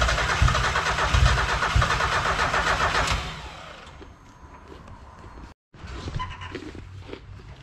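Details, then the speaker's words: Miata track car with a VVT swap on a RusEFI ECU, first start: it fires and revs, then drops to an uneven, hunting idle, leaning out to about 18:1 almost immediately. Injectors (RX-8 yellows) suspected bad; lean running at idle. "the car starts and idles as you saw but it leans out it runs like 18 to one pretty much immediately"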